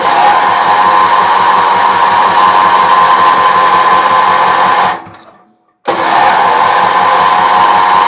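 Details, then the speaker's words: Bargain Wheel Horse 308-8 garden tractor, fuel leaking at the tank gasket, getting fuel: the starter spins steadily with rhythmic compression pulses, stops, then cranks again without catching. Crank, no start. "started that could be a problem huh it's going to start bastard it's getting fuel"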